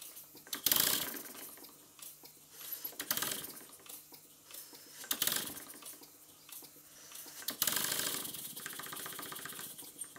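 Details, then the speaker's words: Three Stuart S50 model steam engines running on compressed air on a bench: light, quick knocking over hissing exhaust, from guide bars not tight enough on the crosshead. "the knocking noise you can hear is because the guide bars are not tight enough on the crosshead"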